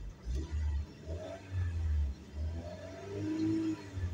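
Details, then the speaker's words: 1999 Volkswagen Beetle automatic, shifter in D: engine surges and falls back in loose bursts, revving freely as the transmission intermittently drops into neutral and won't move the car; it also slips in third. "se sigue neutralizando ahí estoy en D acá me está marcando d y no quiere avanzar"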